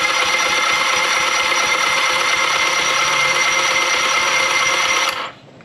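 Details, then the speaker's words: Tohatsu 9.8 outboard during rebuild, compression test cranking on the electric starter: steady, even whirring crank for about five seconds with no hitch; each cylinder reads 110 psi, even and perfect for these powerheads, and the plugs are clean and slight brown. "So each cylinder was at 110 psi, which is perfect for these power heads. So now we have even compression in each cylinder."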